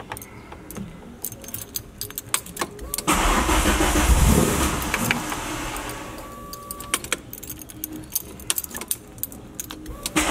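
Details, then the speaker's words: MK1 VW with swapped 2L 8v engine, first start after oil priming, third attempt: a few seconds of steady starter cranking that never catches, then dies off; no start from retarded ignition timing, fixed by turning the distributor to advance it. "This is the third attempt. We're just going to loosen and turn the distributor a bit to advance the timing."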